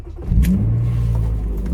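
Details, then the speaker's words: 1995 BMW 325i E36 convertible, actual mileage about 70,000 (swapped odometer reads 132,000), full tank of gas: quick crank, catches at once and settles into a strong, smooth, even idle with no knocks or misses. "fires right up definitely sounds strong it's got a full tank of gas"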